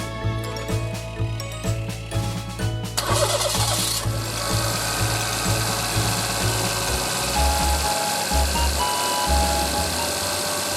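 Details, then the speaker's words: Daihatsu Tanto L375S at about 250,000 km, belt-area motor-like noise traced to a rough-turning alternator; after fitting a rebuilt alternator it cranks and settles to a steady, even idle with the noise gone, also checked by stethoscope. "異音が消えました。一応聴診器でも聞いてみます。正常な音。（新しいオルタネーター）"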